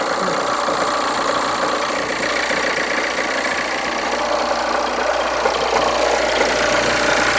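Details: Hyundai Santa Fe idling before repair: loud, steady whirring rush with a buzzy vibration from the belt drive, not the engine internals. The noisy idler or tensioner bearing was fixed by replacing the drive belt, idler bearing and tensioner bearing.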